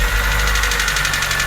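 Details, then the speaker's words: Petrol engine just after startup, timing chain and water pump already replaced: quick even clatter about seven or eight raps a second, rattle from poor internal oil supply to the variable valve timing; parts to be cleaned. "像这种发动机传出来的嘎啦嘎啦异响声，明显听着就是发动机内部上油不好。"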